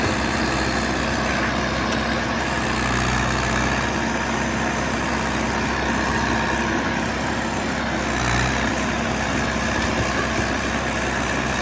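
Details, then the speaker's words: John Deere 450C bulldozer diesel, warmed up after reassembly, relief pressures set and fluids topped off, backing out of the shop: a steady deep rumble at an even pace with no misses or knocks; normal. "I'm gonna fire it up and see if it'll back out of the shop. What a mess. Seems like it's acting fairly normal."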